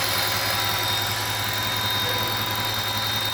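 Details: 2008 Audi S8 5.2L FSI V10: faint steady high whistle over an even idle from the engine, caused by a vacuum leak at a faulty throttle body gasket.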